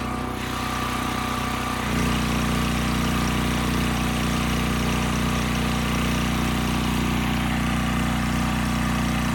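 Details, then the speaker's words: Westinghouse 7,000-watt generator after carburetor cleaning, 3000-watt load applied: engine note drops and deepens about two seconds in, then holds steady governed speed without hunting. Multimeter confirms about 60 Hz; Kill-A-Watt reads 75–80 Hz. "The engine speed sounds right to me, and when I look at my multimeter, it would agree."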